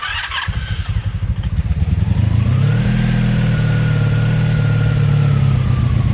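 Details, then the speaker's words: 1983 Honda Magna V45 VF750C V4, not run since a couple of days earlier, new battery, about 73°F, on choke: starter cranks briefly, catches cleanly and settles into a steady, even, slightly raised idle with no misses; normal cold start and idle. "so this bike did not run at all today uh ran it uh a couple days ago but but it has not run and was not on the charger fired right up"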